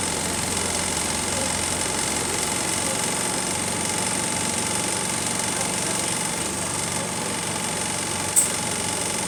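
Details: City bus SLN 36686 on route 181, steady diesel idle drone with a loose, uneven rattle of about four a second. Rattly idle, cause not evident; axle noises also developing.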